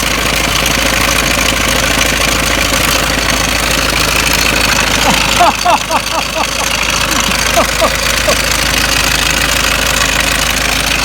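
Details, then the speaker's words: Ford Mondeo Mk5 2.0 diesel, 246,000 miles, idling with oil filler cap off: loud busy clatter with constant rattle about three times a second; slack timing chain, tensioner nylon guides broken, chain near breaking. "I'm going to start the engine up and you're probably going to hear it, and I'm probably not going to be able to talk over it because the engine's that flipping rattly and noisy now."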